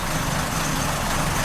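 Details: 2004 Chrysler PT Cruiser idling after plugs, sensor and vacuum leak repairs: rough uneven idle, stumbling beat and missing pulse under the exhaust; suspected timing belt jumped about four teeth, cam timing off.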